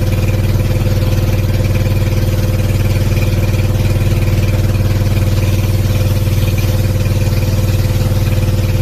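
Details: Sanchin 30 steam sprayer pump after repair: it had loud knocking, suspected bearing or piston rod play, and was refilled with about half a litre of oil to submerge the crankshaft. It now drones steadily and evenly with no knocking.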